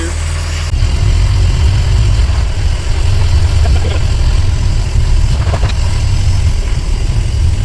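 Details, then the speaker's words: 2011 Bayliner 185 boat with 3.0 MerCruiser engine near operating temperature after about 3 minutes: low, steady idle rumble with an even beat and no knocks or rattles; it runs normally. "Okay, it looks like we're almost up the temperature. It took about 3 minutes."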